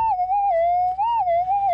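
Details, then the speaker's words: Minelab GPX 5000 metal detector on factory presets: loud, clean warbling tone swelling over a quiet threshold; clear target signal, dug up as a fairly large dozer chip. "you can't miss that one in factory presets so let's dig this thing up and see what it is"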